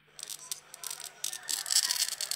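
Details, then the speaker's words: Samsung Galaxy M31 loudspeaker gives harsh, tinny crackling bursts when playing audio at raised volume; replacing the speaker didn't fix it, and the cause was a defective chassis from the replacement screen making the speaker vibrate against the display. "think you can hear that crackling sound that's terrible that is the loud speaker"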